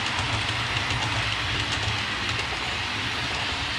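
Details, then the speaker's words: Hornby APT model train coaches, squeak appeared after about two weeks' use and got worse, first noticed at slow speed: steady rolling rattle with a faint high-pitched squeal; dirty wheels and copper pickup contacts, fixed by cleaning both. "all right so there you heard it uh squeak around the track so what i'm gonna do next is basically uh go from one end to the other and uh clean the wheels and clean the uh copper contacts"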